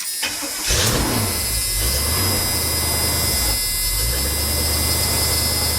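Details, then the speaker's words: K30 fire truck with new tires, new mufflers and a re-fixed coil: engine cranks, catches and settles into a steady, even rumbling idle with no misfire or exhaust leak while warming up; sounds healthy. "let her warm up a minute here I think it sounds okay"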